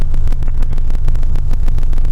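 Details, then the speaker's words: TJ Magna with an ignition fault and no stored codes, cylinder-cut activation test with a scan tool: rough, lumpy idle with a missing cylinder that gets worse when number one injector is cut, so cylinder one is working; misfire. "so you can probably hear that it's running quite rough and there's a cylinder missing"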